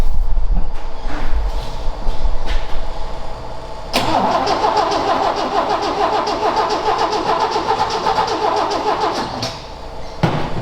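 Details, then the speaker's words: Ford XA Falcon, parked outside for years with unknown history: starter churns with uneven chuffing that never catches; seems nearly out of fuel and needs a proper fuel supply (suspected). Cranks but won't start. "this will be my last crack at this and then we'll attack it another day once I figured some other stuff [Music] out this sound like it's nearly out fuel again"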